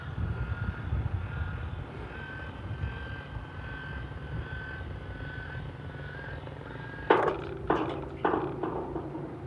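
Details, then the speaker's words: Chamberlain LiftMaster LA400 gate operator after repair with new motor kit and control board, cycling on the single button after limits saved; low steady motor hum while traveling, a few clunks at stop: normal gate operator cycle. "okay stopped where i wanted it so we'll push the single button again"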